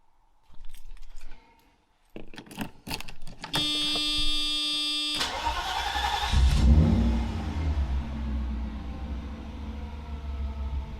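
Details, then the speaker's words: Freshly installed Mercedes M119 V8 started with only exhaust manifolds and cats fitted: keys jangle, the starter whirs briefly, then the engine catches and swells with a rev before settling into an even, smooth idle; normal start. "going to start it up going to give it a few revs alrighty now we have just the cats on so i'm going to start it up again give it a few revs"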